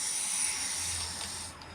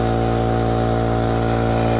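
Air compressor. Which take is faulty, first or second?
first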